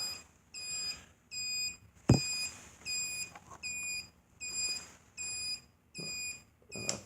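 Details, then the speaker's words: Hawk 250 turn signal buzzer under the seat, muffled by black tape over an open square hole: soft, high beeps switching evenly on and off about seventy-five times a minute; buzzer works normally and is now quiet. "That's your turn signal buzzer. And underneath this tape right here, there's an open hole, square hole. Just throw some black tape on that. And it's pretty quiet."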